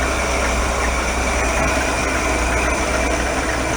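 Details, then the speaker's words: 1965 Ford Econoline pickup, start after replacing the rotted exhaust manifold: smooth, even, steady idle with no ticks, knocks or exhaust puffing, purrs like a kitten; normal idle. "I think this purrs like a kitten on it nice"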